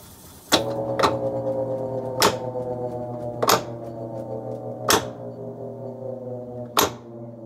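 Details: Whirlpool washer WTW5000DW1: loud clicks heard through the whole house, spacing out as the drum brakes at the end of spin. Replacing the splutch (drive clutch/cam) nearly eliminated the clicking.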